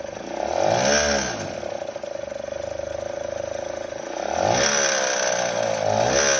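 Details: Kymco Super 8 50cc two-stroke scooter with a Naraku derestricted variator and 8 g rollers: a rattling, ratchety buzz while revving that worsens on deceleration, and the scooter bogs when riding. Source unknown.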